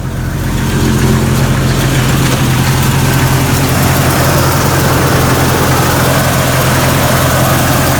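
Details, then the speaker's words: 1999 Jeep Cherokee XJ 4.0 L inline six, everyday driver that had been cranking slowly, starts after the starter is tapped and settles into a smooth, steady idle with no knocks or ticks; normal idle, starter found bad. "Okay, it started up, so that's telling me that's a bad starter. Just tapping on it like I did got it to fire right up."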